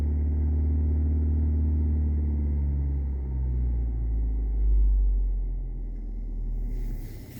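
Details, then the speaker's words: Audi A4 B6/B7 with codes P0300–P0304, light throttle while watching cylinder 3 misfire counter: low rumble with uneven stumbling beat; ignition misfire, slight at idle and aggressive under load; spark plugs suspected carboned up in cold weather. "so if we watch our misfire counter on number three we can actually hear the misfire so if I hold my accelerator pedal lightly"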